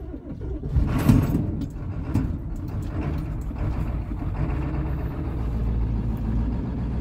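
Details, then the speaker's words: 1995 Ford F350 7.3 Powerstroke turbo diesel, engine on its last leg, weak battery, low coolant, started with ether on a warm day: clatters into life after lurches, lumpy uneven idle; owner suspects a couple of dead cylinders. "let's see if it'll idle here not the best i'll run it too long just a little bit here sounds good but pretty surprised actually it sounded like there was a couple dead cylinders"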